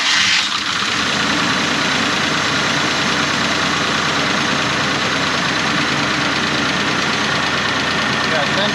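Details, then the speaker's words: 1995 Honda Passport (Isuzu Rodeo) losing power and hard to start, fuel pressure gauge reading 0 psi, no fuel at the regulator: steady, long cranking with even starter turning and no catch or firing; hard start, lack of fuel pressure suspected. "Alright, so turn the key, so we should be seeing fuel pressure. We got 0."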